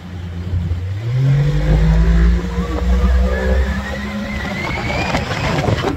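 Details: 1983 Evinrude 70hp outboard on the boat after new plugs and compressed air cleared bugs: deep drone climbs smoothly and holds strong and steady at full throttle, no stumbling, about 53.7 km/h versus 12 before.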